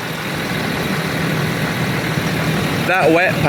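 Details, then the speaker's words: 2009 Land Rover Discovery 3 diesel, 150k miles, first start-up after a DIY timing belt change with the battery charged overnight: steady, even idle with a low hum and no knocking or rattles; sounds normal. "I think it's done it sounds um it sounds like a discovery"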